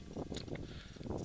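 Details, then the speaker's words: Suzuki SX4 front CV axle rocked by hand during an oil change: dull knocking clunks with vibration felt through the shaft; bad CV joint suspected as cause of high-speed wobble and clunk over bumps, shaft to be replaced. "so I was like as I come off of it you can you can hear it clunking"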